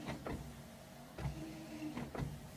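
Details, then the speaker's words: VE Valiant build after the fuse-blowing red wire was disconnected: the wiper motor hums with a soft thump at each end of travel, sweeping evenly about once a second. Wipers working normally. "So we're on the right track. Haha! Wipers! Yes!"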